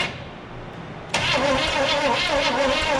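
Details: 1974 Chevrolet K10 4x4 farm truck, sat 15 years, battery charger connected: starter cranks briskly at even chug about four beats a second but never fires; spark present, timing suspected too far advanced, flat cam lobe wondered about.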